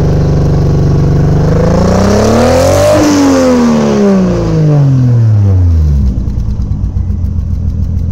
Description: Any ideas why my 1jz misfiring? Almost sounds like a subaru